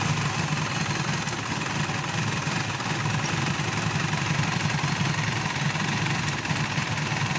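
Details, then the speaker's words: Mitsubishi Pajero diesel starts then dies after about a minute and only keeps running with constant priming-pump pumping; rough, knocky, unsteady beat with shake. Injection pump pressure is low, the return drip is weak and it back-leaks; injector and injection pump need calibration. "So kinukulang talaga siya ng ah pressure compression y yung ah kinukulang siya meaning lumulusot so chineck natin yung ah return yung return niya ay mahina din yung tulo"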